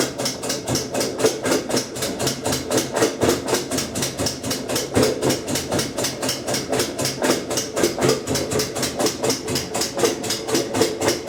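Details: Kenmore 90 Series top-load washer, model 110.26902691, in rinse cycle, also run unloaded: sharp steady clicking about four times a second while room lights blink; washes fine, no broken or loose parts found.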